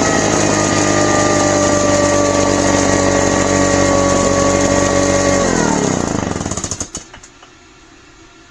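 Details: Craftsman backpack leaf blower after carburetor cleaning (it previously ran badly and died on throttle): steady high buzz for about five seconds, then pitch sags and winds down; slow to rev up, sounds good once revved; non-adjustable carb.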